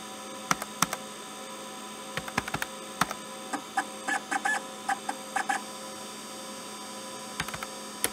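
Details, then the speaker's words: Arduino-driven stepper motor faking IBM PS/2 hard drive seek noise, triggered by the activity LED with 10–500 ms delays: irregular squeaky chirps and ticks over a faint hum; realistic, working as intended. "I wasn't expecting such an amazing result, this sounds so realistic. If I hadn't told you that this is a fake sound generated by an Arduino, by an Arduino driving a stepper motor, you wouldn't have guessed that."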